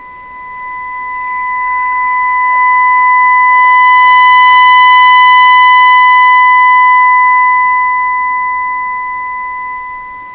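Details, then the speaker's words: Philco 38-C7 tube radio during IF alignment: steady mid-pitched test tone swells to full loudness near 469–470 kHz then eases; IF stage peaked correctly. "so we should hear the maximum volume when this says 470."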